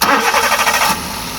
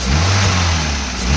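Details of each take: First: Maruti Wagon R after air filter replacement to fix an odd engine sound in first or second gear and on sudden acceleration: catches cleanly, steady idle, revs smoothly with no odd noises. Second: Maruti WagonR idling then sudden throttle; breathy whoosh like air pushing out rides on rising engine note at start of acceleration, air intake leak caused by broken air filter case.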